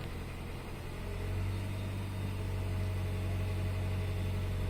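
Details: 2010 Hyundai Sonata, 140,000 miles, just after MAP sensor replacement for P0106: engine hums fast and steady, rising slightly then holding, no clear tick; idle too high. Owner blames cheap oil for sensor failure, cause unconfirmed.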